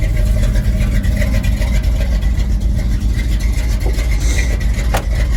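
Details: 1983 Chevy C10 with a cammed Mr Goodwrench 350ci crate motor and a 500cfm Holley 2-barrel, no choke: cold start gives a steady low rumble with a mild lope, holding idle without stumbling; normal cold idle.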